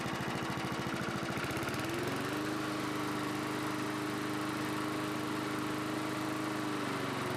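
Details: 1982 John Deere 21 SP self-propelled mower, single-cylinder engine restarted after refurbishment with new old stock points and condenser gapped to .020 and cooling fins cleaned: a few rough beats, then a steady, even drone holding speed; runs healthy.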